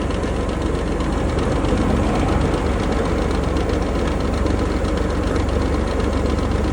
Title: Range Rover Sport 2020 P400e Rattling Noise